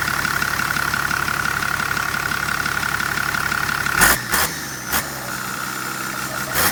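Diesel idling with a thin steady high whistle over a light hiss that cuts out midway; turbo whine, cause unconfirmed.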